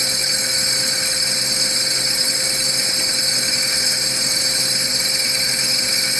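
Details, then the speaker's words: Core drill cross-drilling soft jasper in a half-pipe jig at a faster, correct feed rate: even steady high sizzle with no squeal; squeaking would signal a problem. "it up, and it's got that more like that sizzling kind of sound. And our feed rate now is considerably faster."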